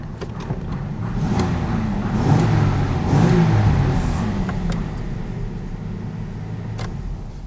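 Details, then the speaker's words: 1982 Jaguar XJS V12, now running after no-start repairs: a smooth low note swells on a quick throttle chirp and settles back evenly. Healthy, powerful engine, though an oil puddle appeared after it ran. "thing runs really good as you heard i just did a little chirp with the with the gas pedal"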